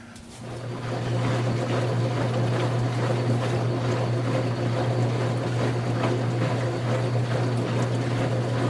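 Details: LG WM2801HWA direct-drive washer after replacing the rotor position sensor: motor ramps up in the first second, then holds an even, low steady hum with no knocks or grinding; normal running.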